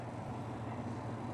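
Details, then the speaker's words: White Westinghouse 12 kg twin-tub washing machine spin dryer tested, giving a steady even low hum, working normally. Only the wash side is faulty: it hums with no reverse and has a broken wash timer. "Tapos testing muna natin yung dryer dahil [sumisingasing] ito hindi ito tinesting ng may-ari kanina. Ayan mang. Gumagana yung dryer."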